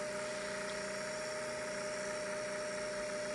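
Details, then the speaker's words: 500 series Slant-o-matic sewing machine motor, oil-soaked armature and brushes after over-oiling, about two minutes into running at full pedal while the oil burns off as smoke: thin electric whine that picks up, surges and drops back, nearly stopping. "here's picking up speed surging drops back picks up sometimes it goes down to it's like going to completely stop everything that you're going to experience I've experienced"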